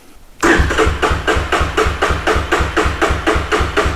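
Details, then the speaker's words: 1985 Big Red with a newly installed starter, given a little choke: starter churns the engine over at about four even compression beats a second but it never fires, no fuel reaching it; cranking no-start until fuel is turned on. "oh you know what it's got no gas now it's got some gas going to it let's try it again"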